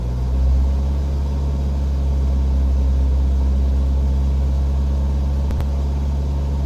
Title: Bruit moteur N47 sur 118d 2007/07, 151000 km